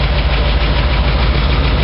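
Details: Ford 460 V8 at idle: sharp light tick riding the beat and quickening with revs, sounding like exhaust but exhaust already fixed; new lifters still ticking, owner suspects a bad cam, cam replacement planned.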